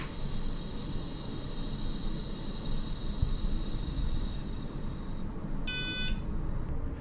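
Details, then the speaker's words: iOptron GEM28 mount slewing in declination after adjusting the worm-gear belt: steady even motor whine, no knocking, ending with a short beep. "so as you can see just that minor adjustment to the belt took care of that knocking noise"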